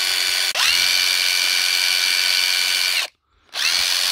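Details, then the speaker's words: Hilti SID 4-A22 impact driver after repair (teardown, motor cleaned with contact cleaner), previously losing power and noisy: high, clean motor whine spins up quickly, holds steady, stops and restarts without rasp; normal running. "I sound a lot smoother one more test we'll know we're good"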